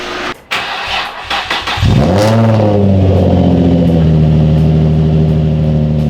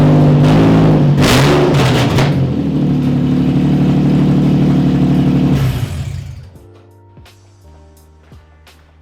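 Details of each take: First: Nissan 350Z with newly fabricated exhaust replacing open header: starter whirs, engine catches with short rev, settles into deep steady idle while residue burns off in exhaust; runs clean. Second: Nissan 350Z running open headers with no exhaust fitted: loud, raw, raspy, completely unmuffled drone with a fast even pulse before shutdown.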